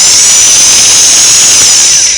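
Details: Singer model 413 vintage sewing machine after motor belt replacement: steady high whir at full speed with only a light belt buzz from slight vibration, then clean spin-down; belt not too tight, motor runs normally.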